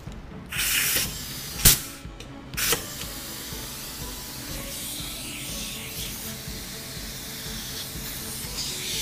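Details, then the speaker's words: Harbor Freight Central Pneumatic 3-gallon air compressor, hose fitting installed without thread tape: after a few handling knocks, steady soft hiss of air escaping at the fitting threads while the gauge drops fairly quickly; thread tape would fix it. "there's air coming out of it that's because there's no threat tape on this which if I put threat tape on it I will no longer have that leak"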